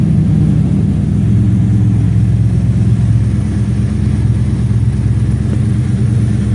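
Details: 1954 Chevy 150 warm idle after being revived, timing and carburetor set: smooth, deep, steady rumble with no knocks or misses; engine running healthy.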